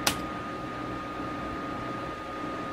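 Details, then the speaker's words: Dell Inspiron 530 desktop after a BIOS update with no fan speed control: constant loud airy rush with a faint steady whine that never drops; cooling fan stuck at full speed, cause unknown. "not really sure why the fan is running full speed that's really kind of annoying and is probably gonna put the brakes on my using this system for this task"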